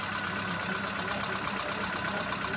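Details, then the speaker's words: Hyundai i10 after overheating repair, radiator cap replaced and thermostat drilled, warming up: soft, even idle with light steady hum, no knocks or misses; slight water spill-out attributed to pump pressure; normal idle. "hidup normal lewat meskipun ada sedikit muntahan air itu karena tekanan pompa ya"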